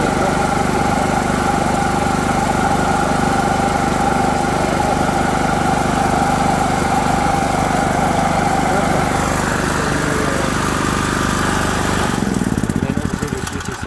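Generator catches and settles into a steady, even chug with a smooth beat and no misfire before it winds down; it runs normally.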